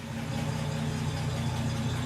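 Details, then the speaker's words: Wolseley MkII at idle after restoration work: steady low idle with a light, regular tick on top; owner suspects tappet noise despite having checked them, may recheck; cause not confirmed. "Sounds like it's got a bit of tappet noise, but I checked all that. I might have to recheck it."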